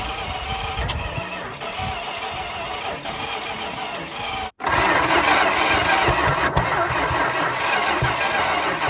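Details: 1974 Dodge Monaco police car, police 440 V8 sat for years, cranking after Marvel poured down the carb and five worst plugs replaced: starter churns about three beats a second, ragged catches, only intermittent firing. Cause suspected, not confirmed.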